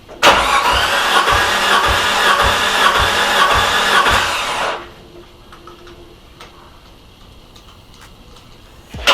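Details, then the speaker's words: Nissan S13 200SX CA18DET with a suspected blown head gasket, plugs out: starter cranking with a distinct rhythmic compression pulse on good cylinders; no water found in the cylinders. "Okay, so did you guys notice that when we put the plug into each other cylinder, you heard a distinct boop, boop, boop, boop, boop."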